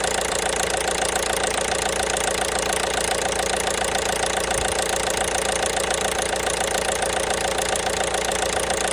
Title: Стук двигателя 1.5 BlueHDI (DV5RC)